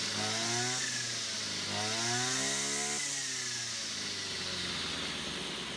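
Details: Brush cutter two-stroke after repair of a fuel leak from a split hose (it had stalled while mowing): clean buzz revving up and back down smoothly with no sputter or stumble; running normally.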